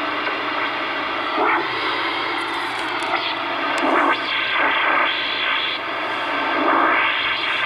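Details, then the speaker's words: CB radio on AM channels 15–20 in central Iowa: hissy static with repeating swishing sweeps rising and falling about every second, moving between channels; owner thinks it sounded like a radar signature but is unsure. Unidentified interference. "it abruptly stopped it kind of sounded like a radar signature but i'm not sure"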